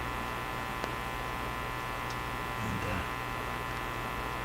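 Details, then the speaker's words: National HRO-60 communications receiver: constant low droning hum with faint hiss and no station audio; heavy mains hum masking reception, owner unsure whether it comes from the radio itself. "So maybe this isn't the sound of the radio. Yeah. Well, put the antenna on before you draw too many conclusions here. That sound. Still very hummy."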